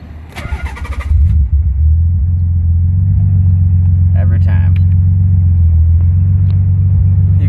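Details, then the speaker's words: 1990 Nissan 300ZX Twin Turbo, JWT ECU tune at 17 lbs boost, custom turbo-back exhaust with Magnaflow mufflers, JWT intake; starts the same every time over 3.5 years: the starter cranks about a second, catches straight away and settles into a smooth, even idle. "now this car in the 3 and 1 half years I've ever I've had it I've never had it not start the same every time it goes and then it starts every time"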